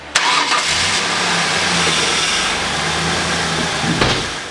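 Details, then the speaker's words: Ford Windstar with a misfire and 301/302 codes after an intake manifold runner control fix; the engine idles with an uneven, stumbling beat because cylinder 2 is dead, its plug was fouled, plug and wires were good, and the fault was traced to a failed ignition coil. "we put it all back together and started and we still had a misfire but we knew the plug and wires were good so we went to the coil"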